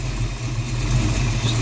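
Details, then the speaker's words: 1982 Ford Mustang GT V8 after repairing burned, shorted wiring: a steady, even low rumble at idle with no misses, knocks or surging; runs normally and nothing is warm. "all right everything here seems normal nothing's warm to the touch nothing feels off"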